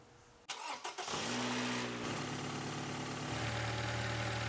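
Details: Engine parked, catching and settling to idle with a steady low growl from the serpentine belt drive; long-overdue water pump bearing growl.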